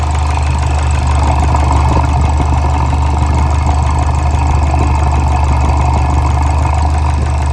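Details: Fiat Bravo 2 1.4 T-Jet 150 HP, 215,000 km, after recent maintenance, recorded close to the engine: loud low idle with a deep, slightly uneven knock of three to four per second; worn rod bearings, cause unknown, car scrapped.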